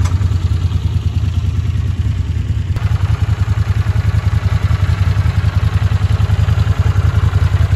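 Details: Vintage Honda CX500 twin after fixing its ignition and carburetors (replacement carbs, ultrasonically cleaned jets). Even, deep throb with no misses or rattles; runs smoothly and pulls strong, unlike before.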